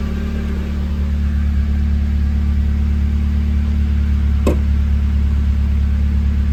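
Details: Hotwired NB Miata with 124,000 miles, running after being brought to life without the key: deep, steady, even engine note with no knocks, misses or whine; sounds pretty healthy, normal running.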